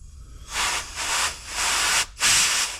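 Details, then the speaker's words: 70 hp Force outboard carburetor on 1995 Bayliner Capri, after ultrasonic cleaning and rebuild: short bursts of airy hiss as compressed air is blown through, flow passes freely each time; float not stuck. "And then you can hear the float actuation. And what I'll do is I'll use a little bit of compressed air and make sure that the float isn't stuck."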